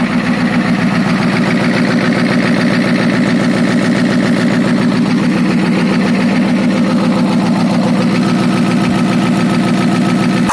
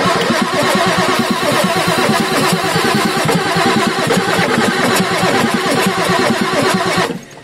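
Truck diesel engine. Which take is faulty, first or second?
second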